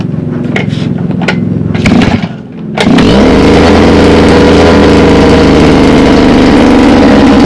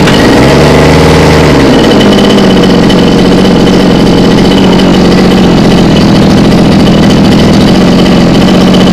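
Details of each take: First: Mini water pump engine, two-stroke running on petrol-oil mix, hard to start: after a few sputtering tries it catches and races at a steady high rev that cannot be throttled down to idle; cause not yet found. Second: Mini water-pump engine, two-stroke on premixed petrol, after servicing a hard-start and runaway-throttle fault blamed on fuel starvation. Catches, revs briefly, then settles into a steady, even idle with no hunting or misfire; runs healthy.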